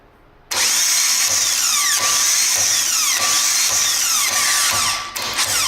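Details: New replacement starter for a Toyota 2JZ-GTE VVTi (BMW E46 M3 swap) tested on the bench: instantly spins up to a steady high whine, no grinding or rattle, then winds down. Normal running.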